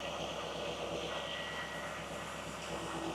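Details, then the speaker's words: 2000 Chevy Camaro SS V8 after power steering pump replacement and bleeding, sensors unplugged: steady even idle with no whine, squeal or rattle from pump or belts; pump sounds good. "Okay, so I went ahead, started the car. All the belts are looking good, no squeaks, no rattles."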